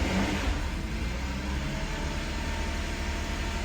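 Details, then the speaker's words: VW CC direct-injection engine after a rebuild, first run, revved to about 1,500 rpm while WD40 burns off: an even, smooth drone with no knocks or rattles, sounding healthy. "H about 1,500 is good oh yeah she sounds good she sounds good"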